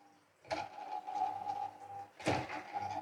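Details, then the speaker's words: Wall fan motor powered from the board: blade turns briefly in the correct direction then stalls, giving a steady mid-pitched buzz with sharp knocks; motor winding is fine, the bush and shaft are jammed. "देखिए इस तरह से ये आवाज कर रहा है है तो खैर कोई बात नहीं जाम तो है ही"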